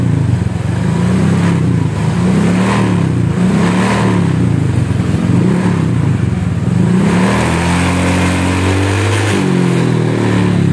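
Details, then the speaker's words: Honda Vario scooter, test after fitting an SKR racing exhaust: buzzy, vibrating rattle riding on the revs; exhaust mounting bolts had worked loose, and tightening them removed the rattle. "bunyi keretek ketek ketek ketek apaan nih BR getar semua ini apaan aja yang getar ini pada bunyi BR"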